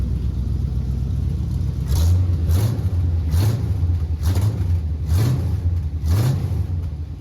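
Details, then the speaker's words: 1970 GMC C-15 pickup with a small-block 350 V8, driving: deep rumble rising and falling with each throttle blip, clean and free of rattles or leaks; the exhaust sounds healthy. "yeah let's just see how it does that exhaust sounds good"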